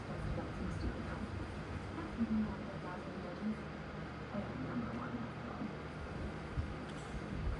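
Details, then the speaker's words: Vintage 1976–77 Kou Horng 9" oscillating table fan on high speed: a steady, even rush of air over a low motor hum with no ticking or rattle; the fan runs smoothly, very quiet but moving a lot of air. "this fan is very quiet but it moves a lot of Air"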